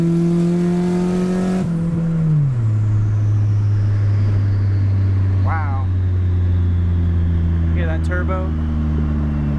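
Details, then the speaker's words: Automatic Honda Civic with newly bolted-on turbo kit, 5 lb boost, no tune yet, driven on light throttle: drone drops as revs fall, then a faint rising whistle as the turbo spools and winds down; running well. "you hear that turbo wind down that's running oh yeah it's running really good now"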